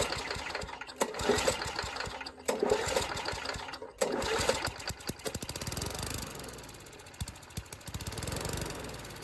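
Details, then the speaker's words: Old Murray push mower, 3.5 hp Tecumseh engine (about 1989–99), running only on carb cleaner sprayed into the intake: uneven sputtering bursts that surge and die; owner concludes the carburetor needs rebuilding. "okay well there you have it needs carburetor rebuild I don't have one"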